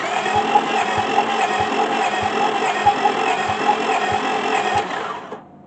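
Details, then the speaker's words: 2005 Honda Pilot, timing belt repeatedly refitted, compression test on one cylinder at about 20 psi, then oil added: slow even cranking with a soft thump about every half second, no firing; reads 40, later 140 with more oil; low compression. "it sounds like it's popping a lot harder. Then it's not. We're up to 40."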